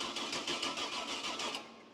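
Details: 305 Chevy small-block V8 swapped into a Cub Cadet garden tractor, new fuel pump just installed: steady rapid cranking under two seconds, stops without catching; no fuel getting through, tank empty; owner thinks it needs a jump box.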